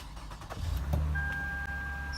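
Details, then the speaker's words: Lexus RX (2015 model, previously in a front collision) after cleaning heavily corroded battery terminals: a quick crank, then it catches and settles into a smooth, even idle with a dash chime. Normal healthy start and idle. "ah that sounds delicious"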